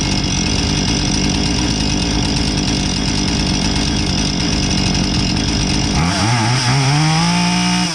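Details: Husqvarna 440 chainsaw that came in not starting or idling and had the wrong chain, test run after repair with the proper chain: a steady high two-stroke buzz, revving up and settling cleanly; normal running.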